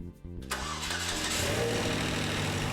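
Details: DF Goblin kit car first engine start after priming fuel system with about 2 gallons: brief starter whirr about half a second, then engine catches and settles into steady, even idle; clean normal start.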